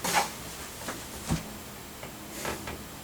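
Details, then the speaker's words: PC (Lenovo/Dell) after RAM upgrade to 6 GB per channel, hanging at boot while drives spin; faint, irregular ticks and soft clicks about once a second in a quiet room: optical drive seek clicks during failed boot. "I can hear it doing its thing. It's just not doing anything else. You can even hear the CD drive doing its thing."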